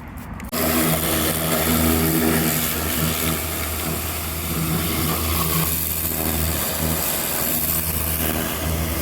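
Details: Craftsman LT1500 riding mower, first blade engagement after deck leveling and cleaning: engine drone with harsh scraping rub throughout; owner believes purchased blades are bent and hitting something, blades not hitting each other.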